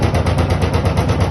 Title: LG Washing Machine Rattling Noise